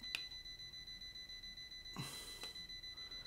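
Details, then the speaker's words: ERGO FS 1677 fan plugged in: short motor jerk, then thin high-pitched beeping; runs only on speed 1 and stops when speed is raised; suspected power supply fault, dropper capacitor failed and starving the control board. "что происходит когда подключаешь в розетку он начинает пищать просто вообще"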